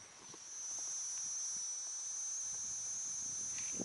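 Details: Car audio system with amplifier feeding a front monoblock, power wiring on the left and speaker wiring on the right: steady thin high-pitched hiss-whine through the speakers; electrical interference noise, cause not found.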